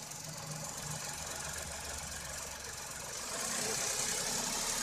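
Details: Tata Altroz engine revved while stationary: even engine note that rises smoothly as it is blipped toward the end, no knocks or rattles; sounds healthy.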